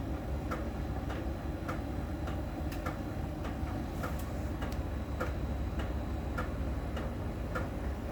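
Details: Miele dryer during drying: light, even ticks under two per second over low drum rumble, from a small round ball sensor rolling over a contact on the drum's outer surface; normal, per the technician.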